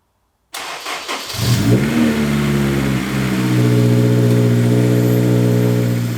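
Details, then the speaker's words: Test fire after installing a Moroso weld-in oil pan baffle with trapdoors: engine cranks briefly, catches, flares up, then settles into a steady, even idle with no knocks or misses; normal start and idle. "This sounds good so far. I think we're gonna be okay."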